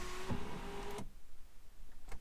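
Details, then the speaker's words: BMW E90/E91/E92/E93 3 Series, key on, sunroof button held during the reset/recalibration: a short electric motor whir of about a second, then a clean stop. Normal end of the sunroof reset cycle. "And keep holding the button until it does its whole little thing here. That is going to reset and recalibrate the sunroof."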